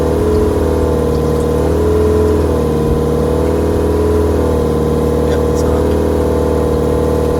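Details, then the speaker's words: Boat shower sump pump (500 gallon per hour), just replaced with a spare: a steady, even hum with a faint watery rush and no rattle or labouring, the pump running normally. "I heard it come on, and I can also see disturbance down there."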